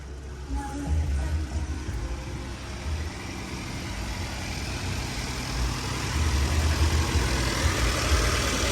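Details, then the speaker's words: Turbo petrol engine, first cold start at about 50°F: even, steady low idle that will drop as it warms, no knocking or ticking; engine sounds healthy. "this the first cold start so it will idle down but the motor sounds good motor sounds very good"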